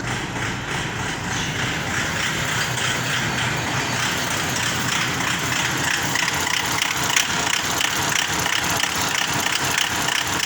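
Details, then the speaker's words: Diesel engine at idle: loud, harsh, fast clattery beat with heavy metallic rattle; diesel filter found dirty and replaced, fuel starvation from clogged filter suspected. "mga idol tinanggal namin yung diesel filter mga idol tingnan namin kung may Marumi ba So yan mga idol maruming nga mga idol oh Tingan niyo"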